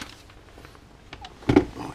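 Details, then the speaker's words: Altair 8800 computer build, power supply (+8V, +16V, -16V switch-mode supplies; -16V dropped to 12V for a 12V relay): single sharp click as the relay pulls in at switch-on, supply sequencing normally. "alright hear that click so that was the relay coming in and that's just that's this little chap here"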